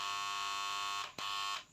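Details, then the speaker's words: BCH three-phase star-delta starter panel for submersible pump: loud steady buzz that drops out briefly and returns, traced to the centre of three contactors. "ಇದರಲ್ಲಿ ಏನು ತಿಳಿಯಿತು ಅಂದರೆ centre contact ಸೆಟ್ಟಲ್ಲಿ sound ಬರ್ತಾಯಿದೆ."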